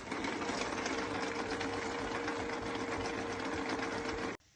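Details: E-bike hub motor running with a steady whine and a fast, uneven clatter of about four knocks a second; damaged teeth on the plastic planetary gear, fix is replacing it with a metal gear.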